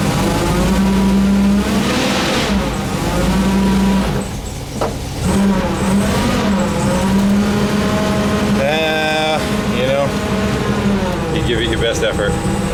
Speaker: I don't know if that noise is coming from two gears that are interfering with each other or the ring and pinion are mismatched